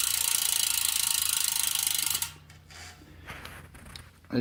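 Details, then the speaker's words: Stan's Neos rear hub on Stan's Grail wheels while coasting: loud, rapid, even buzzing clicks like angry bees that then fade out, much louder than the Shimano Ultegra 6800 hub. Noisy but normal freewheel ratchet buzz. "can tell the Neos hub is the loud swarm of angry bees type and the El Tigre is much much quieter"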